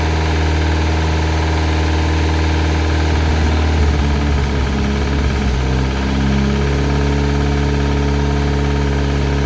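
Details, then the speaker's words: Classic Mini turbo at first start-up: light, fast knock over an uneven idle, sounds almost like a big end but felt at the rocker cover, so top end suspected; cause not confirmed. "can you hear it Knocking a little bit front sounds almost like a big end gone it's on the it's on the rocket cover"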